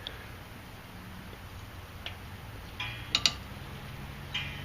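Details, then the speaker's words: 2002 Audi S4, front driver's side random squeak after body shop work: pressing and releasing the front suspension by hand after greasing and clamping gives a few sharp dry clicks; source not pinned down. "I'm putting a little bit of pressure on the suspension here okay now when I release it it's still making some noises"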